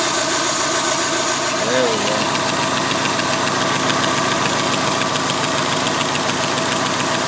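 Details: Daily-driver petrol engine idling with a quick, sharp ticking about three to four per second, first mistaken for a lifter click, from an exhaust manifold leak.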